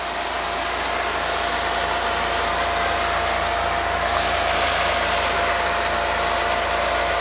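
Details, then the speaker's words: RealYou no-dilution foam cannon spraying undiluted Adam's Mega Foam near the end of the tank (about 25 ml left): constant hiss with faint steady whistle, no sputtering; flawless but shorter 47-second run time because the thinner liquid passes through quickly. "Um, this one performed absolutely flawless. No issue there, but it didn't last as long as the other one because again, it's a thinner liquid."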